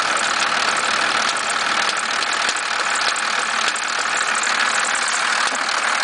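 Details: 1991.5 First Gen Cummins 12-valve diesel at cold idle, about -10, squealing a little: a loose, irregular knocking rattle about every half second through the clatter. The owner cannot locate the source.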